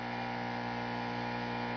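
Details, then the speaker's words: Home-built tube amp with somewhat noisy output tubes, noisy 6J5 already replaced: steady low buzz with stacked overtones, more buzz toward bass; mains hum suspected from lights and surroundings, chassis-to-earth grounding helps a little. "I'll pick up more Buzz as I go more into uh base of course part of it again is the speaker to and we move into a little more cuz grounding the chassis to Earth ground also helps a little bit it's picking up noise from the lights and everything else"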